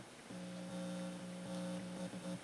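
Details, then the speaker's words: 1959/60 Magnavox tube console amp, after cracking a 6BQ5 output tube and re-powering, playing a record on both channels: steady low hum with buzzy overtone under the music; amp sounds good but noisy. "well that sounds very good um this little amp puts out some power might be a bit noisy"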